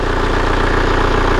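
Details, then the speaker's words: Kia Carnival diesel at idle. Stable, crisp, evenly spaced clatter with no stumble, read as balanced injection pressure with every cylinder firing evenly. Healthy normal idle. "seperti ini jadi suaranya itu Hai stabil renyah satunya kalau stabil itu tekanan Nose itu imbangnya"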